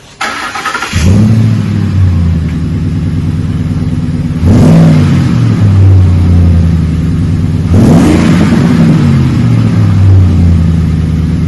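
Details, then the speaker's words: 2008 Ford F150 5.4 V8 with a new cat-back dual side exhaust, 3.5-inch stainless tips, Magnaflow single-in dual-out muffler and factory cats: starts, two clean revs with a deep smooth rumble, then steady idle; healthy, mild tone. "Put a Magnaflow single in dual out muffler on it. Give it a nice little purr to it. Left it all factory up front with the factory cats."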